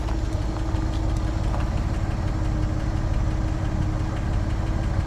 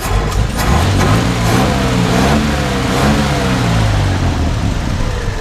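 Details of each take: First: 1954 Chevrolet Handyman wagon, old inline petrol engine at cold idle: light quick ticking over low rumble, goes away when fully warm and driven; lifter tick, owner suspects valves need adjusting. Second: 1954 Chevrolet 150 Handyman wagon engine, warmed up after running for a while: revs up smoothly and settles to a steady, even note, with the lifter tick heard earlier now gone.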